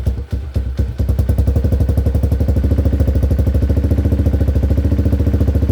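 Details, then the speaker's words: Hawk 250 dirt bike, no-start fixed by replacing a dead battery (old one read 3.7 volts): a few coughs as it catches, then steady, even thumping idle with no misses or knocks. "so that was an easy fix it was just the battery was dead"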